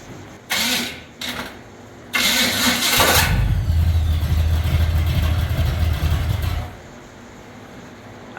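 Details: Small-block Jeep starter after adding shims: several harsh grinding bursts as it tries to engage, then a low labouring crank. The flywheel and starter are damaged, and one, two or three shims did not cure it.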